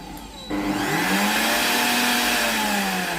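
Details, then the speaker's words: Tefal blender model BL967B66/870 that won't accept panel commands and sometimes shows L6: on test, the blend function still works. Motor kicks on and winds up to a smooth, steady high whine. The motor runs normally. "ได้ยินเสียงดังปิดๆนะครับสามารถกดปั่นได้นะครับ"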